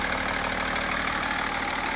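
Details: BMW E39 530d, M57 diesel, first start after valve cover gasket replacement and fuel-system bleeding: steady, even idle with a smooth clatter and no knocks or irregular beats; engine sounds healthy and settled.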